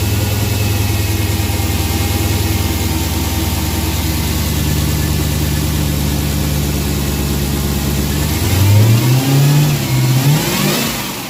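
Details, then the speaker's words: Dodge Hellcat supercharged V8 on the stock air filter, before a K&N drop-in swap: deep, steady idle, then quick revs with a faint supercharger whine that sounds beefy but not very loud; normal supercharger whine. "okay so that's what the stock air filter sounds pretty good sounds pretty beefy but not a really really super large supercharger whine"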